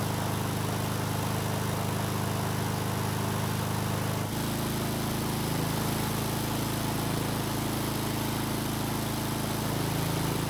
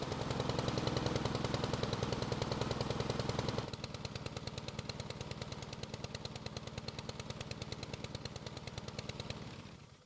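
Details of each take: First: Husqvarna lawn mower engine after freeing a stuck carburetor throttle plate: smooth, even drone that shifts to a slightly different note partway, no misses or surging; carb working as it should, engine running very well. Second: Husqvarna lawn mower single-cylinder engine on test start after carb refit: chugs fast and rough, sputters worse as it warms, slows and dies; black smoke, choke first suspected, but the carb throttle plate was stuck.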